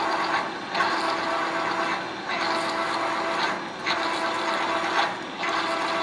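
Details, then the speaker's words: Big open, non-enclosed CNC mill with coolant drilling a 6x135, 1 3/4 in thick track adapter (program RT105): cutting noise swells and drops about every 1.5 s as the drill pecks and retracts; normal peck drilling. "But same thing, it's going to go down and it's going to peck at it and pull little bites out just like that. You can hear it engaging and disengaging."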